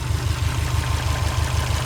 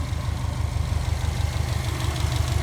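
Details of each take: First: Subaru Forester SH9 with swapped EJ255, first start: heavy regular low thumping about six beats a second through the idle; knock suspected from a piston pin in one piston, not confirmed. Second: Subaru Forester SH9 with swapped EJ255 flat-four, first start: steady low even idle pulse with no sharp tapping; owner first heard a slight knock, possibly a piston pin suspected, but this sounds healthy.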